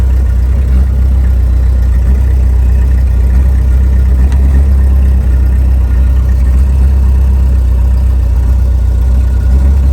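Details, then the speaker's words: Ford F600 gasoline truck during a fuel-delivery troubleshoot, idling after 15–20 minutes of running, which shows it is drawing from the tank: a deep, steady idle with no stumble or surge over ten seconds. Normal idle. "It's been running now for about 15-20 minutes. There's no way it idle or run and accelerate a 15 to 20 minutes off a tank it ain't drawn."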